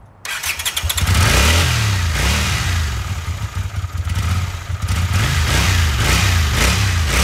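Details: 1982 Honda CX500 twin, neglected for years; both plugs were black (too rich), cleaned and gapped: engine catches, then revs surge and sag instead of settling, dies at idle; carburetor suspected, owner doubts removing the idle screw.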